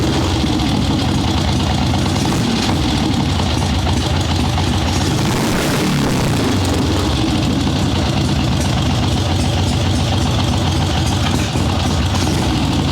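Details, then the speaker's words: Harley ironhead Sportster chopper with Mikuni VM38 carb, fresh plugs, kick-started without choke in cold, wet weather after starting/idle-circuit jetting: loud, steady V-twin idle with an even lumpy beat; takes throttle much better but still slightly boggy at first; normal idle. "So it is taking throttle way better now. Still a little boggy at first. That sounds substantially better than it did."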